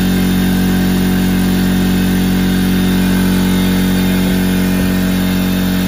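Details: McGraw 21-gallon oil-free air compressor, 1.5 HP universal motor, filling tank: loud even drone with steady low hum and no knocks or rattles; normal running.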